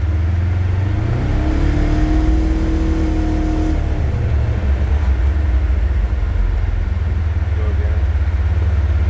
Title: 26' Polaris Ranger Northstar Whining Noise Deceleration